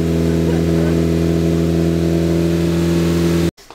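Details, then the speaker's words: Freshly built Focus ST engine after a swap, break-in run held at 2,500 rpm so the rings seat: steady fast idle with a smooth constant tone, no ticks or knocks, then a clean shutoff; healthy. "So I'm doing my best to hold the engine RPM at 2,500 RPM. So that way the rings can seat in and everything can get, you know, in its happy place."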